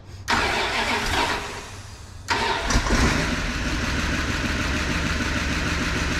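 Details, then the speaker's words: 1988 Dodge Power Ram revived after sitting 23 years, new intake, milky oil but oil pressure, about 35 degrees with coolant in block: cranks, stumbles once, restarts and settles into steady even idle, spitting water from exhaust; runs smoothly. "So, I mean, it's actually running Yeah. super smooth."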